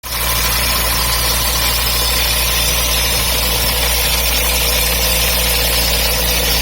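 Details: MGB petrol engine idling with an odd, constant hissing whir over the low engine hum. The water pump was new in summer 2019, and the cause is unknown.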